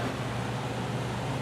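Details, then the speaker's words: Newly wired cabana attic fan, thermostat set to 90, runs with a steady even hum and constant low tone, no rubbing, rattling or wobble; normal running. "so yeah some of you probably wanted a demonstration of this fan and now you finally got it"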